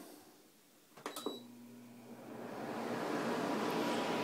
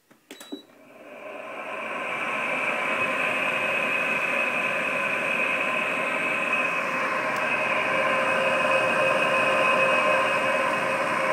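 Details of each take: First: 2003 Frigidaire Electrolux 5200 BTU air conditioner after replacing noisy fan motor bearings with skateboard bearings: a switch clicks, low motor hum, airflow builds smoothly with no grinding or rattle; normal fan operation. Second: 2003 Frigidaire Electrolux 5200 BTU air conditioner, powered on after storage and cleaning, before repair: a loud rough grinding whir with a shrill ringing edge; worn fan motor bearings, later replaced.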